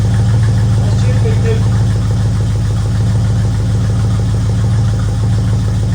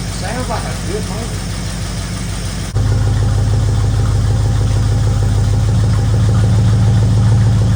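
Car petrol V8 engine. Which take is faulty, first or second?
second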